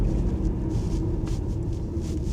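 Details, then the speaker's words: Audi A4 that failed its MOT, on a road test: deep, even engine drone pulling cleanly under load over wind rush, no knocks or rattles; engine strong, clutch and gearbox fine, smooth. A suspension knock was heard earlier from the near-side front. "But the engine seems strong. Clutch is good. Gearbox seems fine. It's smooth. Pulls well."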